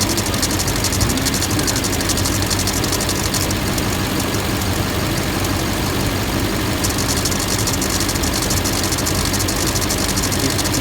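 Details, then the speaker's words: LMM Duramax diesel at idle: light, uneven high tick about once a second over the clatter, sounding like a bearing; after every pulley and the A/C clutch were replaced, the cause was the serpentine belt. "That clicking sound. It sounds like a bearing pulling."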